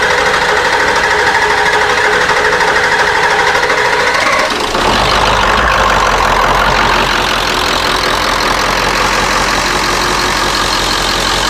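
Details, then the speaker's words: Ford F250 7.3 Powerstroke after injector cup, injector, glow plug and water pump replacement for diesel in coolant: steady, quiet idle after a brief rough patch, still air in the fuel system, no loud injector knock. "so it's quiet hear how quiet it is and it's still got air in it it's quiet"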